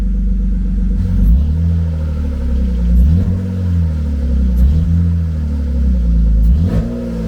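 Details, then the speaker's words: BMW E36 convertible six after cylinder head replacement and new header gaskets: a smooth idle with clean, even revs and no misfire, all six cylinders firing. Header smoke is thought to be old grease; check engine light still on. "All right, guys. Well, it runs, and it definitely sounds like it has 6 cylinders. Sounds nice and smooth."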